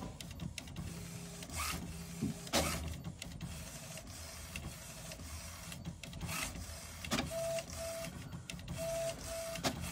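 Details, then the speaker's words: HP Smart Tank 500/516 after air in ink pipes and blank prints: quiet whirring feed motor, short carriage sweeps, clicks and brief tones as it prints the alignment page and charges the heads, purging air; takes about 25 minutes. "ये देखिए ये आपका page निकल गया है और ध्यान से देखिए देखिए कैसे यह हेड चार्ज कर रहा है जितनी प्रिंटर पर एयर सब निकल जाएगी"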